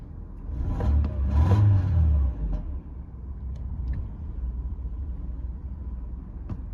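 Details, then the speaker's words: 1993 Mercedes 220CE W124 coupe, 2.2 L M111; low, lumpy idle that stumbles and sags, sounding ready to die; owner suspects faulty leads, plugs or coils. "start it up um eventually fires runs rough and dies um when cold or if you can keep it running it runs really rough really quite a low idle um and then come stalls when you try to move it"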